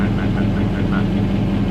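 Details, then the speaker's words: 2003 Dodge Ram 1500 Hemi V8, original engine, 390,227 miles, cold start after four days at about 55°F, heard from underneath near the oil pan: steady deep idle with quick even tapping on top; owner suspects rod knock. "yeah i was like that's that rod knocking like i said it's not bad but it's bad"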